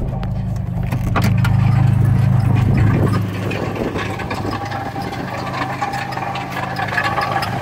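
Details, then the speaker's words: 1981 Ford Capri 2.8 Injection 4-speed manual: idling engine with a rapid, fairly even clatter, roughly four hits a second, then settles; loose engine fan blade striking. "there is definitely some very strange sounds coming from the engine of the car this is uh not a good sign i have no idea what it is"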